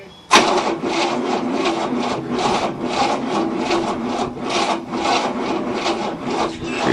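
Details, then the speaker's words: 1967 Cadillac, not started in 30 years, second battery fitted, fuel fed from a gas can: slow, even starter chugging, about two compressions a second, never catching; engine has spark but cranks too slowly, starter then removed. "spinning spark he's just not cranky fast enough to start"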